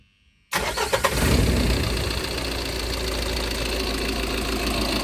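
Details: Tata Intra V30 diesel after repairing rodent-chewed wiring that caused a no-start with no dash supply: cranks briefly, catches within a second and settles into a steady, even diesel idle with regular clatter.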